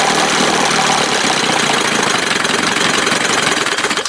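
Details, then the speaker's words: 1971 Johnson 20 hp two-stroke outboard after carb swap (smaller jet than a 25 normally has), one bad motor mount and loose parts: rapid, steady buzzy firing with loose-part rattle, no stumbling or bogging; running normally. "anyway I think she sound pretty good"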